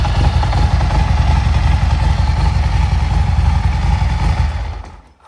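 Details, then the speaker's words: Harley-Davidson Street Glide Special with a Dark Horse clutch and hidden tensioner, idling before a heavy-duty clutch job: loud loose clatter, two or three hits a second, over the lumpy big-twin beat; cause not yet found. "so it's definitely something's not right. It's definitely a little too loud in there. We don't know what it is."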